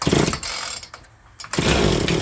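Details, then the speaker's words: Chainsaw being diagnosed, primer pumped, choke on, switch on: after three or four pulls it catches in a short sharp burst and dies; normal first fire, trigger untouched, judged to need only cleaning and tune-up. "What, third crank? Fourth, maybe? Choke is still on. Do not touch the trigger."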